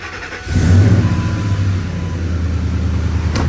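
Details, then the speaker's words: 2002 Ford F-150 Harley-Davidson Edition supercharged, cold start just after fitting a modified cold air intake and IAT sensor: engine catches quickly into a strong, even idle with no knocks or misses, good oil pressure; healthy. "let's see that oil pressure again booya that it sounds pretty good nothing comes apart nothing like that it's still cold so I'm not going to do any hard revving"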